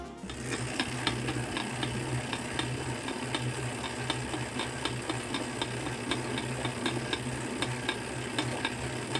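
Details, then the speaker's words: Tacx Neo-series, Flux S or Flux 2 trainer while pedalling: sharp, irregular cracks over a low hum, possibly from lack of grease on the axle spacer or cassette body, fixed by cleaning and greasing; cracking noise. "Neo series flux s and flux 2 cracking noise if you hear a cracking noise while"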